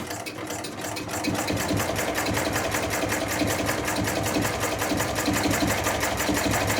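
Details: Chinese-built true mini diesel engine under test, now running rather properly: fast rapid putter with light metallic clatter, holding steady and even; normal running.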